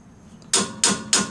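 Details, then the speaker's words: 1991 Jeep Wrangler front axle pinion bearing race driven in with a driver and hammer during ring and pinion install: blows go from a low thud to a sharp, higher-pitched ting; bearing race fully seated. "hear how solid that sounds that means she's seated it' be a low thud low thud all sudden you hear Ting it gets a higher pitch sound to it so I know that lets you know that it is seated and ready to go"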